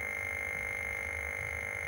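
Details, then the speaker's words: Atari 1040STFM at power-on with the keyboard unplugged, showing a white screen: a constant high-pitched steady tone. It is attributed to the missing keyboard, but the cause is unconfirmed. "Just a white screen. That's what that noise is cuz it's keyboard's not plugged in."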